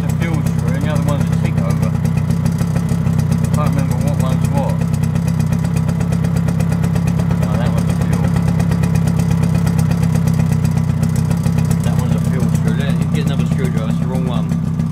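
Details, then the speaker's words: Suzuki LT50 two-stroke quad, probably a 1998, first start after 5 years, still on choke and warming, buzzes at a steady, slightly high tickover with no dips; idle speed set too high, screw turned down a touch. "i think really it could do with a tick over coming down just a tad um"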